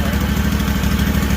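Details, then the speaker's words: Rebuilt Kawasaki FR730V V-twin in a Cub Cadet SX60 mower, first start after install: steady, deep, even thump at slightly fast idle, no misses or knocks, no smoke; carburetor has no adjustment, owner will check idle rpm; normal idle. "Sounds like a motorcycle, don't it? And there ain't no smoke coming out."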